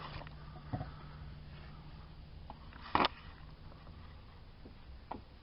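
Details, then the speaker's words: 2003 Dodge Grand Caravan inner tie rod, boot removed, being replaced along with the outer tie rod. Dull clunks about every two seconds as it is pushed in and out show play that shouldn't exist. "don't know if you can see that up in that in and out movement of it there shouldn't be any movement at all like that going on with it uh and you can hear it knocking too"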